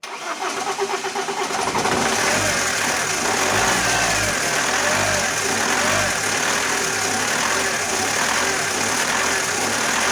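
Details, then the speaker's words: Alfa Romeo 156 1.9 JTD early common-rail diesel, crank-no-start case, after opening fuel injection system: starts readily but cannot hold idle, revs hunting up and down, strong exhaust smell; unstable idle. "okay it did start very well but the car has no idle and that that has that fluctuation and it smells a lot by the exhaust"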